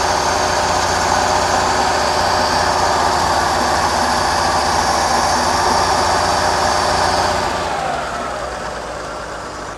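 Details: Forklift petrol engine after replacing the worn carburetor and the torn-off muffler (it had been running rich and fouling its plug): runs steadily with an even beat, no misfiring and no black smoke, then eases off near the end.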